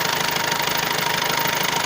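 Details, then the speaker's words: 2014 Skoda Octavia A7 1.6 diesel 105 hp, manual gearbox, single-mass flywheel: fast, even knocking at idle near the gearbox that stops when the shift lever is moved or clutch pressed; cause unknown, gearbox input shaft or clutch suspected. "Стоит стук. Не можем разобраться, в чем дело. При движении, так сказать, рычага переключения передач звук стихает."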